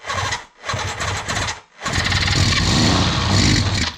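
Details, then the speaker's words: 1976 Suzuki GT750 on its first start in 30 years, after a choke repair and with ether and fuel on: two short cranking bursts, then the engine catches and runs raggedly for a couple of seconds, firing only briefly. "Ooh. So it does run. Let's give it a go again here."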